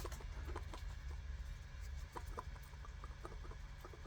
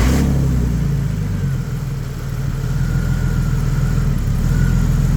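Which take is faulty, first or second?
second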